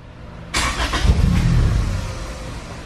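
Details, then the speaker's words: Honda Civic EG hatch (built around 2002, engine work around 2008, long sat), first start after storage in neutral with jumped starter: catches with a burst, runs rough a second or two, then dies; won't hold idle. "Started. Don't want to stay running though."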